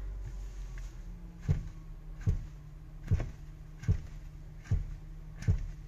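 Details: Audi Q5 front suspension being worked: dull, deep clunks about every 0.8 seconds; suspected worn lower control arms and ball joints, unconfirmed.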